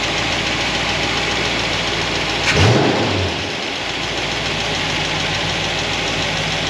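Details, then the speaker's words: Engine with solid roller lifters, warm at about 200° with thermostat open, before valve lash adjustment: warm idle and a quick rev with a busy mechanical clatter over the engine, from pushrods rubbing their guide plates. "So far, so good. I can deal with the mechanical noise."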